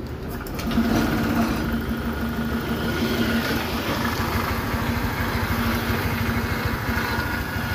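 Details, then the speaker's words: Honda Click 150 idling on the dyno after the TBT was dismantled, RPM seemingly dropped; owner suspects the connecting rod: rough, uneven idle with a loose tapping clatter about three per second; bottom-end knock suspected, not confirmed. "So ayan yung ingay. Maingay pa rin siya. Kasi ma-vibrate."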